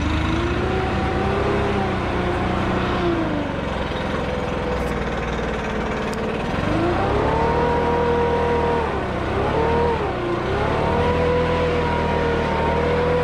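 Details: 2021 Stihl BR600 backpack blower, 65cc 4-Mix engine, about three weeks old: smooth steady note that climbs and drops cleanly with throttle, no stumbling or rattle; very quiet.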